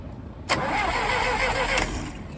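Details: Massey Ferguson 135 tractor, Continental engine, first start after head gasket replacement, cold, on a makeshift fuel tank: starter catches sharply, engine fires and settles straight into a steady, even run; normal start.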